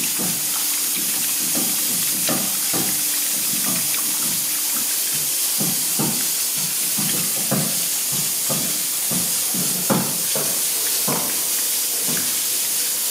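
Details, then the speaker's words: Draining a 5,000-litre domestic hot water tank via purge valve for manhole flange leak repair: irregular dull thumps inside the tank over steam hiss (background steam leak on condensate return); owner suspects air bubbles, possibly cavitation. "Et là, on va entendre dans la suite de la vidéo les bruits que ça provoque à l'intérieur du ballon. Ça les bulles d'air qui doit faire ce bruit là."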